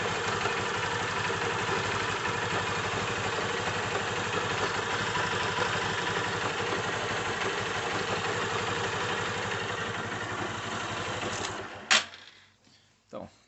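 Idling single-cylinder motorcycle with a busy, rattly clatter; loose clutch basket knocking on its bearing.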